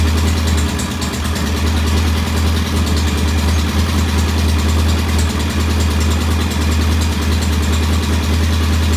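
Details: Norton P11 vintage twin, after carb strip and fresh fuel, pilot jet set about 1.5 turns: loud lumpy, wandering idle as one carburetor's pilot jet won't follow adjustment like the other side; jet suspected partly blocked, to be removed and cleaned.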